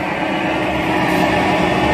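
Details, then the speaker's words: Cotton candy machine spinner run slowly on a dimmer, shaft bearing oiled with sewing machine oil: even, steady hum with no grinding or rattle. The bearing turns with the shaft correctly and runs smoothly. "Ini posisi yang benar, ini bearing harus ikut berputar. Jadi ketika dinyalakan, ketika tungku berputar, nah seperti ini ya."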